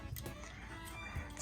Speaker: if you got a door that's squeaking like this